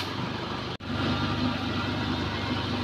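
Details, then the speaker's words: Suzuki Katana at idle: smooth, steady low hum with no ticking or metal-on-metal knocks and calm engine vibration; engine sounds healthy. "terus kita dengar suara mesin suara mesinnya ini tidak ada suara suara aneh atau kayak besi ketemu besi yang tek tek tek dan lain-lain ya kalau halus ini jadi Insyaallah mesin kondisinya"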